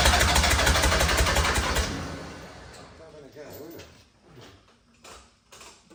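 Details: Diesel engine in a cheap recovery truck, first start after refitting: loud start with heavy regular thumping about four per second, like a helicopter, then fades; injectors damaged when refitted after seal replacement, knocking.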